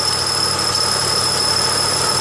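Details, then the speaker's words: 1995 Pontiac Grand Am at idle: thin piercing steady squeal, mistaken for alternator bearing, from temporary coat hanger supporting catalytic converter after tailpipe change; louder as engine shakes; removing hanger stopped it. "engine would start to shake a little bit more and then the squeak would get louder so actually it wasn't adding loads to the alternator it was tossing the alternator to squeak it was causing the engine to start to shake more and then that made this rattle more pronounced"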